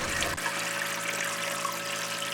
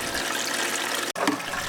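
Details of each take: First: Reef tank internal overflow standpipe with muffling cap fitted, strong water pump running: steady soft rushing trickle without gurgling surges; drain noise clearly reduced. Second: Reef tank plumbing with a strong water pump running, before the muffling cap was fitted: loud rushing, gurgling water from the uncapped internal overflow standpipe draining into the filter. Loud overflow drain noise, reduced once capped.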